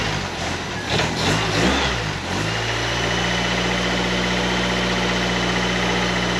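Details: 1931 Ford Model A coupe hot rod, Ford 2.3L with Holley 2300 350 CFM carb, battery briefly charged: cranks and catches after rough seconds, then smooth even idle with steady low hum, no knocks, warming up.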